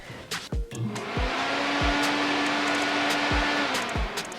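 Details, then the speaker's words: BMW E30 with LS3 swap, new 14-inch electric radiator fan tested by grounding the fan relay after wiring, before first start; small motor spins up to a steady, even, smooth hum; cooling fan running normally. "Alright, so if my wiring is correct, when I ground out the fan relay, you should hear the fan turn on"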